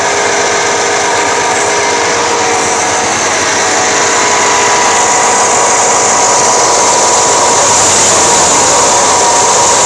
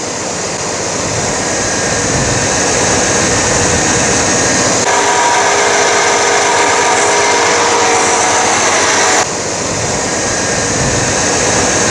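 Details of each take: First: 1989 Chevy K1500 at idle with a loud, steady, jet-like high-pitched whine from an alternator only about 1.5 years old; it still charges fine and is being replaced for the noise. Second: 1989 Chevy K1500 running after alternator replacement and belt reinstalled; steady, even drone with no squeal, chirp or grinding from the belt area, how a healthy alternator should sound.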